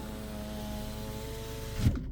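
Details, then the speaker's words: 2011 Toyota Camry after battery replacement: driver's window motor gives a steady, even hum for about two seconds then a soft thump as it stops; works normally while passenger-side windows need reprogramming. "So if you just say you test the driver's side. So the driver's side worked."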